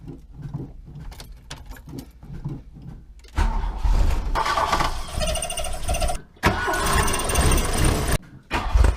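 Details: Mk1 VW Rabbit 1.7L before the cat delete, started to warm up: even cranking pulses catch into a steady, clean warm-up idle with no misses or knocks; normal cold start and idle.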